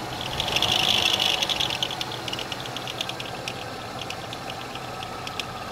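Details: GM 3400 engine running: uneven, fast rattling tick about three per second with high metallic chatter from a bad/broken power steering pulley.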